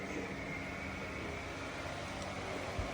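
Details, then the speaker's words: 2015 Toyota Prius V, 1.8L 2ZR-FXE, P410 transaxle, after swap to a used 80k-mile transmission and new rear motor mount, maintenance mode in drive, bleeding coolant: steady quiet hum and light whir, grinding gone. "but yeah she's nice and quiet and the grinding is gone again"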